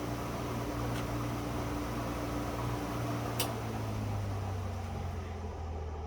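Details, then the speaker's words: ILG Model 183 fan with new bearings but no preload spring washer: steady whir with low buzzing hum and faint rattle; noisy before preload spring added, which made it smoother and quieter. "all right 183 with new bearings but no preload i think this bullet yeah the bullet rattles a little bit"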